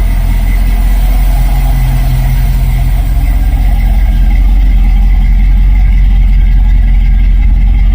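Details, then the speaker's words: 1949 Ford F1 with 302 V8 from a 1973 Bronco, idling after a new electric fan and control module install, temperature rising toward 140: deep, even, throaty V8 burble at steady idle, no misses, knocks or ticks; normal idle. "Just the way they're supposed to sound. Throaty, man. Sounds so good."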